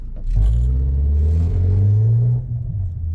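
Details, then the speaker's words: 2014 Ford Escape (engine unknown), customer feared a transmission problem over noise reversing and turning; accelerating forward: very loud, heavy low rumbling drone swelling as the car pulls away, then dropping off; broken engine mount. "Whew, that's loud. That actually will penetrate like into your eardrums."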